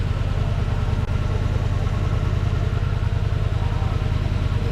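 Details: 2009 Lincoln MKS AWD, thought to be 3.7 V6, at idle: low, uneven rumble stumbling about three times a second from a misfire; codes P0201 and P0204, injector faults on cylinders 1 and 4.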